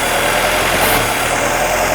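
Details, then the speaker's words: 1958 Jeep CJ5, previously turned over but wouldn't start, running on fuel sprayed into the intake: even, steady hum with no dropped beats; runs smooth on all cylinders until spraying stops, an evident fuel supply issue. "Vehicle sounds good. I don't think it's missing a cylinder. It sounds smooth to me until I quit spraying."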